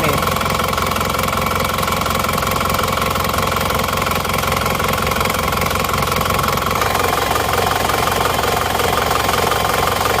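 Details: Engine burning 6 liters of oil in under 2000 km, cold start before rebuild: busy, uneven idle with rough knocking patter about three beats a second and heavy mechanical clatter; worn engine, later rebuilt.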